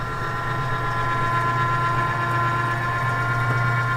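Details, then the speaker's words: Camp Chef pellet grill after auger motor replacement, in feed mode, windy outdoors: steady low electric hum with a faint whine, even and unbroken; the auger now turns normally, unlike the stuck old motor. "see and if you can tell [Laughter] the auger is moving which it was not moving with the old one so it's gonna take a few minutes to do it"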